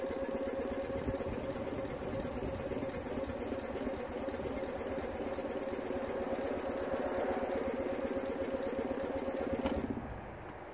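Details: 2009 Smart Fortwo 451, 1.0 petrol 71 hp, crank no start with fuel smell, cranked after starting spray: quick, even, light starter churn at about three beats a second with no firing. Owner suspects a spark issue.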